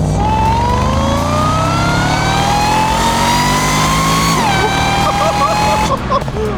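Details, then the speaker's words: 140,000-mile Jaguar XFR, supercharged V8 with power mods aimed at over 600 hp, on road test before dyno: clear whistling supercharger whine climbs in pitch with revs and drops off throttle, far louder than before mods; healthy, pulling strongly. "Okay, that's 5 10 times better. That's way better. There was nothing before and now we have noise."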